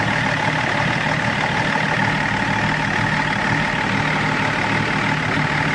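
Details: BMW E39 530d diesel, rough idle being checked with INPA values: uneven, lumpy idle beat, firing rhythm wavering instead of staying steady; rough idle, cause not yet found.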